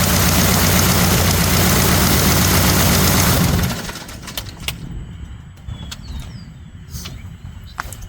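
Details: Experimental aircraft, first run in 4 months after new Catto propeller and electronic ignition wires installed: strong even propeller drone with steady firing beat, then drops away to quiet; engine runs smooth, normal run.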